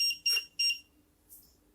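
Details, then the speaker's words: Godox SK400 studio flash, dirty, previously dead and owner-repaired: three short high-pitched beeps after power raised from 1/16, showing E3 error with very weak output; needs servicing. "teman-teman ya ini ah enggak blinking ah E3 nongol tapi power-nya sangat kecil"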